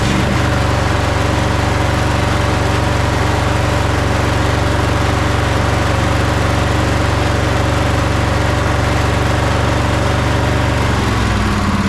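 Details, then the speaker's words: Sabre by John Deere twin lawn tractor, bought broken after sitting: steady but lumpy low thump at idle, about three beats a second. The right cylinder isn't firing despite spark at the boot and its plug is cold, traced to a clogged carburetor port. "I wonder if it's only running on one cylinder. Let's try that again. Yeah, this uh this right one isn't firing."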